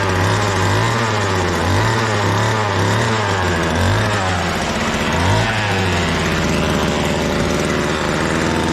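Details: Homelite trimmer leaking fuel-oil mix from the muffler, suspected of running rich: the small two-stroke buzzes unevenly, its note wavering and blubbering without settling. Rough running; the attempted fix didn't work and the cause is unclear.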